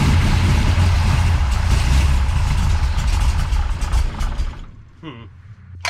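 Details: Big-cam big block Chevy with a rebuilt Holley 750 Double Pumper, after drilling holes in the throttle butterflies. Loud lumpy idle sags and nearly dies after four seconds; still not right, low vacuum from cam overlap suspected.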